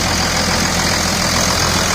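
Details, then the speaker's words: 2000 Dodge Ram 2nd-gen Cummins diesel after bypassing AC compressor pulley with 65" non-AC serpentine belt, just started: steady, even diesel clatter at idle, no chirp, squeal or slap; belt tracking straight, normal idle. "So I'll go ahead and start it here now. Let's go right over here. Sounds good."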